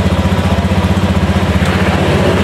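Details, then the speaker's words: Battery reads about 13 V at rest; starter test before other teardown: starter engages and the engine catches, settling into an even, steady low pulse with no stumbling; normal start. "Ah, ya, udah mulai ya. Bismillah. Oh, normal,"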